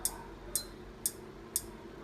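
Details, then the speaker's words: Induction cooker that won't heat: sharp, even clicks about twice a second inside; it detects the pot but won't heat and shows no error code. "中にカチカチと音がしますね鍋を減らすことができますが、加熱することはできません"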